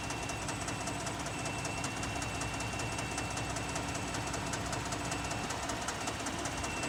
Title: 2018 Ford f-150 3.5 ecoboost loud clunking/clicking noise on cold start